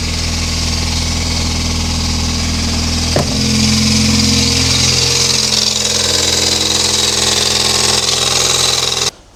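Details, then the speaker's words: Mini Cooper S R53 supercharged, first start after bearing failure repair and cleaning fragments from oil pickup, fresh oil, alternator faulty: engine catches and runs steadily with harsh hissy scraping over it; belt tensioner rubbing on crank pulley. "The noise you had then was simply the belt tensioner rubbing on the crank pulley."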